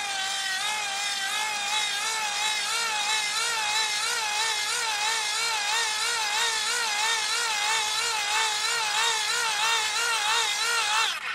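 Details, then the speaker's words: 30W hand crank generator charging a 12.89 V battery, cranked faster: even high whine wavering with each crank turn, no grinding or scraping; voltage climbs quickly, smooth under charging load. "so you can see that climbs very quickly when you want to charge up one of these batteries"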